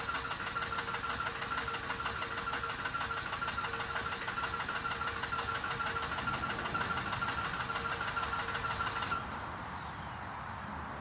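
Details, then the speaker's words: 2006 Mazda RX-8 that shut off while parking, on a professional jump starter: steady rhythmic cranking for about nine seconds, never catches; won't start even with starting fluid; owner plans to add premix. "I'm gonna add some starting fluid. Unfortunately, it does not want to start."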